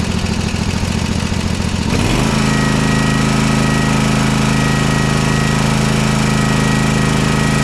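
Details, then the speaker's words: Toro TimeCutter SS5000 zero-turn twin mower after repair and reassembly, no load: catches after a short crank and settles into a steady, even run on both cylinders, smoking as it burns off residue from the left cylinder that wasn't firing. "We're getting some good smoke come out of it right now. It's going to burn off all that from that left-hand side that wasn't firing."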